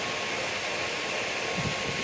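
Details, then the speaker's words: Bathroom exhaust fan, 70 CFM, over 12 years old, after opening the motor, cleaning the shaft and adding synthetic engine oil to the top bearing: smooth steady airy rush with faint hum, no squeal or grinding; running normally. "this is what a 70 CFM fan sounds like is it like brand new of course not but I'm very happy with this"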